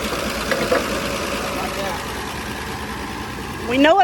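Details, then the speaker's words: Dodge Dart sitting since 1992, restarted outdoors in the field (flat tire): catches and settles into a loose, uneven idle under wind and handling noise; running, though not pretty. "fired right up again that second time well boys we got a runner it ain't a pretty runner"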